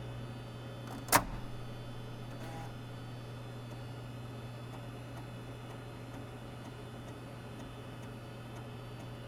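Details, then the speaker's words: Apple SuperDrive 1.44MB floppy (Sony MFD-75W) after eject gear replacement and Molykote lube, writing a disk image with DiskDupe Plus: quiet steady motor hum with faint evenly spaced head-step ticks; healthy write operation. "and for the final test i'm going to use disk dupe plus to copy a disk image that i've read into memory to this 1.44 megabyte floppy"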